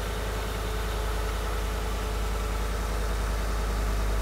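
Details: Steady, even low rumble from a V8 idling with all coils and injectors connected, no skipping beat; normal.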